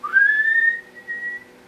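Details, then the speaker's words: Dyson Big Ball Animal (CY23) cylinder vacuum, three months old, turbo brush head fitted: a loud steady whistle rises to a high pitch and then fades as the wand is pulled backwards. Air is leaking from the loose wand-to-hose joint. "And that noise was basically the noise that it's making where it's leaking from that joint here. So that is a bit of an annoyance, to say the least, the fact that that leaks there."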